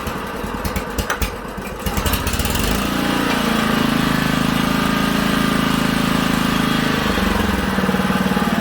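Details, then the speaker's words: Honda HRA215 SX mower after carburettor cleaning, fresh high-octane fuel, started on choke: settles into a steady, even idle that holds smoothly when the blade clutch engages. Normal idle. "It idles real nice too, guys."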